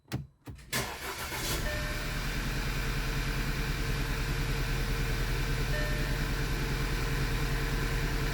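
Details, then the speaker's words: 2009 Audi A4 six-speed manual, restarted after plug work: idle carries a steady uneven lope, roughly three beats a second. The misfire moved to cylinder 1, and a fouled or faulty spark plug is suspected. "oh now see the misfire moved to one okay"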